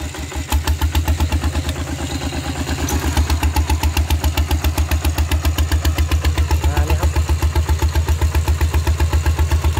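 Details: Steel-wheeled tractor ploughing a rice field with a loud replacement exhaust pipe: hard, evenly spaced thumping about four beats a second under load, with a harsh, loud open-pipe bark.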